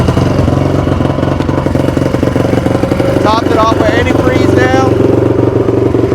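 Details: 2002 Honda CRF450R after repair, idling: loud blatty single-cylinder idle, even beat about four per second, no knock; super loud exhaust, running healthy.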